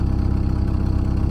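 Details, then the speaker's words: Auction Dodge Durango, 149,000 miles, small older battery, water in the coolant system: smooth even low idle with a steady beat, no knocks, ticks or misses; normal idle. "that is purring like a kitten purring like a kitten"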